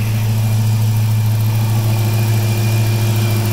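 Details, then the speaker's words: Chrysler 300C at idle with a new JS alternator after fitting a one-inch-smaller belt (81.2 in) and a big-three wiring upgrade: a steady idle hum with a constant high alternator whistle still present, though voltage reads about 14 V. "14 - not too bad she could still hear it whistling"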